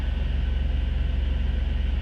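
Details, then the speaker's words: 2000 Jeep TJ inline six, high mileage, after replacing crankshaft sensor with torn wires that caused crank-no-start: fires right up into steady, even low idle with smooth pulse, no misses or knocks; normal idle. "fired right up all I needed you go he's been great to me"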